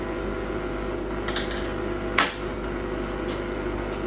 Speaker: you could probably hear the buzzing that's why we call it a buzz bux and the reason why it's buzzing is as we're changing using those magnetic fields you could see that uh laminate coil was not fitting in perfect it vibrates in there